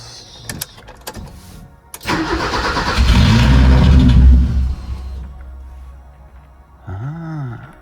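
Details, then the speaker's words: BMW E30 with M10 engine, after reconnecting the cold start valve and priming fuel: engine catches with a short burst of revs then dies within a couple of seconds; previously it idled minutes then would only crank. "Okay, so it's starting and then just shutting off right away because we connected the the cold start valve."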